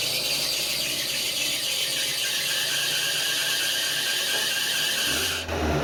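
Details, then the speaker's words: 1987 Toyota Tercel wagon with a recently replaced water pump: loud, piercing, steady high-pitched squeal; the alternator won't stay in place, so the belt loosens and slips and needs re-tensioning constantly. "one thing find that belt squeal it's been doing that since i replaced the water pump what the issue is is the alternator can't seem to just stay one in one place so i have to constantly add tension to it"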